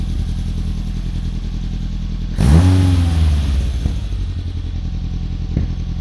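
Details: Saxo VTR-engined Hillman Imp, unused for two years, after changing all plugs to Denso: steady idle, then clean blip rising and settling smoothly, no popping or misfire; runs fine.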